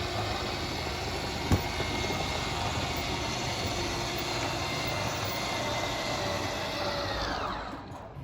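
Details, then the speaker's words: 2018 Coachmen Apex 276BHSS kitchen slide-out extending: a steady motor whine under the room hum that cuts off sharply at full travel as the motors shut off automatically, which is normal. "This slide's a little bit different. Once it's fully extended, you'll just hear the motors whine and then they'll shut themselves off automatically."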